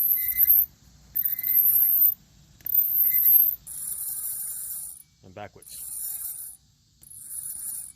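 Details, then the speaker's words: Harsh scraping grind in repeated bursts as the wheel spins, from worn brake pads on rusted, grooved rotors that only contact in the middle; fix is replacing both rotors and pads. "hey folks think you need brakes listen to this sound that's a sign that you need brakes"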